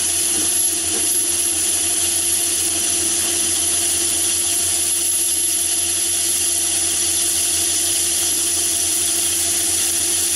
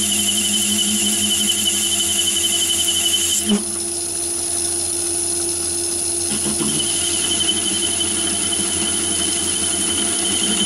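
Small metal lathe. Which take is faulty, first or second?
second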